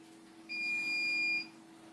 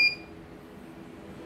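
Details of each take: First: CNY embroidery machine that was totally jammed, powered on for testing: two steady high beeps, short pause, faint running hum; normal power-on and calibration on both, though an error appeared afterwards. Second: Error alarm beep, one short high-pitched beep then quiet, from a CNY embroidery machine that arrived fully jammed; calibration had tested normal just before.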